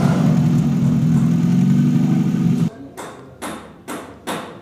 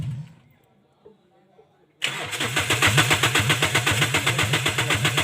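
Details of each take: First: Toyota Corolla XLi/GLi converted diesel to petrol, silencer off, after fixing cam/crank sensor wiring causing long cranking and stalling: steady even low idle hum with no stumbles or misses, then engine drops off. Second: Toyota Corolla XLi/GLi converted from diesel to petrol: a long crank before starting, the starter churning at about four pulses per second for many seconds without catching. Caused by a faulty cam/crank sensor signal wiring.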